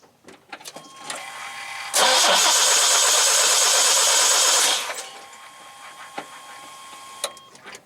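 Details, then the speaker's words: OBS C1500 pickup with distributor ignition, died at 70 mph, now cranks but won't start: starter spins steadily about three seconds with no firing; spark tester shows no spark. "as so as you can see I wasn't getting any spark from this thing so now I'm gonna check the wire that goes from the coil to the distributor"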